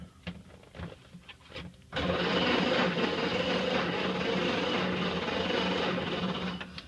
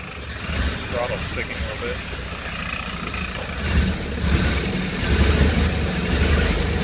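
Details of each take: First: 1931 Ford Model A, 6-volt on battery charger, unstarted 10+ years in barn, carb cleaner squirted, crunchy points cleaned; starter churns about four beats a second, never fires; crank-no-start, no ignition spark. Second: 1931 Ford Model A four-cylinder, 6-volt, running after 10+ years stored in barn, timing adjusted, bad clip connection fixed; low steady rumble rising as throttle opens, no misses or knocks; running fine.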